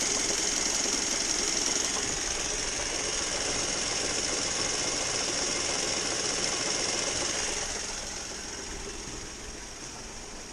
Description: knocking noise, coming from the engine bay. mazda 3 2011 2.0l. turns out its coming from the air conditioning compressor.